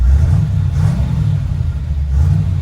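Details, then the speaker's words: Truck on its first drive after swapping the Eaton 4.56 rear axle for a 14-bolt with 3.73 gears, warmed up, valves recently adjusted: deep, even rumble pulling under light throttle with no ticking or miss; quieter, smoother, more power. "i did adjust the valves the other day never done that before and uh it's a lot quieter and it seems to have a little more power and runs smoother for sure"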